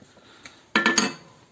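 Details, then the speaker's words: VW Passat B3, driver's-side front suspension knock: inner tie rod where it screws into the steering rack rocked by hand gives three sharp metallic clunks; play in the ball joint knocks over bumps, no up-down play; tie rod to be replaced. "она вкручивается в рейку и вот на этом шарике она туда сюда вот так вот играет стучит на кочках"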